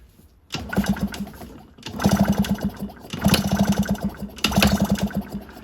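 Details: Yamaha PW50 two-stroke kids' dirt bike, no-start before a carb clean, with 50:1 premix squirted into the cylinder: four kick bursts of chuffing compression pulses that die away, never catching; spark being checked, cause not confirmed.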